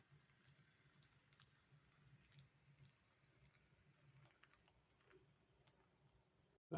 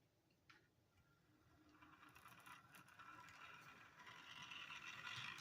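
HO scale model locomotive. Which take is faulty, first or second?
second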